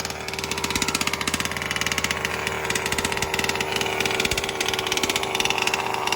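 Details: New BR 32cc piston-port two-stroke with a Bartolone end-bleed pipe, first-ever start after a brief choke: a crisp, rapid burble with an even pulse and bright exhaust rasp, settling into a clean idle. Healthy; low speed fattened for break-in.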